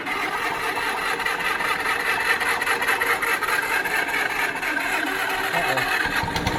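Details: Pony motor on a 70-year-old 1950s barn-find D6 dozer sputters and stumbles unevenly, catching and fading without settling; owner guesses a stuck carburetor float emptied the fuel bowl, causing fuel starvation.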